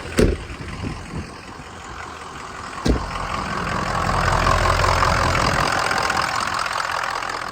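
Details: 2003 Ford Excursion Eddie Bauer, 6.0 turbo diesel, 153,901 miles, after cold start. Even diesel clatter at idle with a steady low drone and a faint turbo hiss; running smoothly and healthy.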